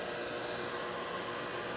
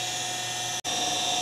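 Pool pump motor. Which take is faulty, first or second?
second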